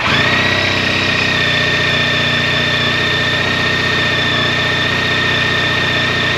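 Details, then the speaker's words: 2012 Honda ST1300 ABS V4, after major service with fluids, new front wheel bearings, tires and brakes: catches cleanly and settles into a smooth, even idle with steady faint whine, no knocks or misses; sounds great. "All right, I'm happy to report that sounds Great. I love the V4 motor in these motorcycles."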